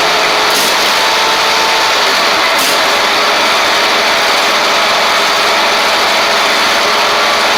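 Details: Ferris stand-on mower, Briggs OHV V-twin, after repairing a one-cylinder misfire: smooth unbroken idle hum at one steady speed without the lopey miss of a dead cylinder.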